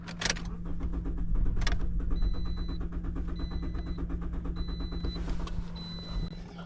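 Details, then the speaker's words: 2013 Toyota Corolla with stalling and hard starting, half a tank of fuel: long, even starter cranking that never catches. Crank no start; pump has power and ground but no fuel pressure, pointing to a failed fuel pump. "oh wow it's extended crank like a big one it's not starting now I think pretty much a crank no"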